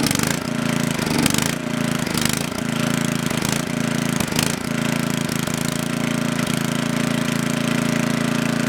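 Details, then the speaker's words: Coleman Powermate Maxa 5000 ER generator on half choke: engine note rises and sags in uneven bursts as governor hunts, fuel-starved with choke fully open. Lean running surge, suspected carburettor needing cleaning. "Alright, it runs on half choke, but it starts, the governor takes over, and it's starving for fuel when you put the choke all the way open."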